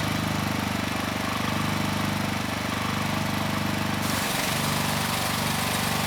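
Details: 4,000 PSI hot water pressure washer, Honda GX390 engine, new pump fitted after lockup, tip on building pressure: steady single-cylinder beat with fast even pump pulse; load comes on briefly then recovers smoothly, healthy running.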